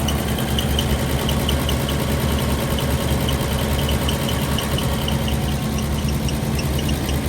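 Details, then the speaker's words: 1962 Chevrolet Bel Air sedan, original inline-6 with Powerglide automatic, 68,000 original miles, single exhaust, idling: runs super smooth with a faint high belt chirp repeating about once a second over the low rumble; slight belt squeak at idle. "Single exhaust. Little belt squeak, but runs super smooth."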